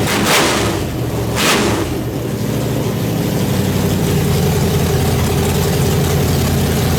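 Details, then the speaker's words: Nitrous small-block Chevy V8 in the Brooklyn Dodger, first start after a fast build, running rich: lumpy loud idle settling after early bursts, holding steady on its own without misses; normal idle. "but there it is it starts it runs it idles"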